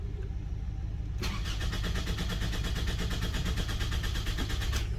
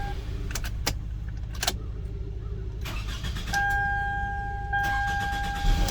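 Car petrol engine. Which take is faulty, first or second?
first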